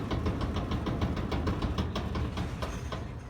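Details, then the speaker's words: LG super-capacity gas dryer DLG2526, drum turning: rough low rumble with a loose thump about three times a second from a bad drum support wheel, later repaired. "in this video we went through how the services are and how to repair one of the wheels that was bad and we're done easy as 1-2-3"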